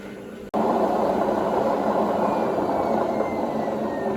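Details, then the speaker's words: Indesit WIDXL126S washer-dryer found on the kerb, test wash spin: after a click the drum spins up into a steady rough rumble with faint fast pulsing and visible drum run-out; sounds like worn bearings or spider, unconfirmed. "a bit of a quick spin up there and it sounds bearingy i've got to say so this machine might just be for the high speed brick action"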